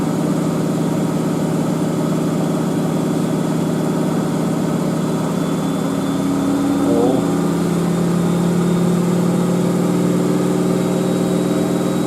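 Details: Miele W562 Prestige Plus 6 washer, large towel load on Cottons 95°C with Water Plus, Tide HE detergent: steady motor hum with even rushing drum, no thumping or knocking; smooth normal full-speed spin.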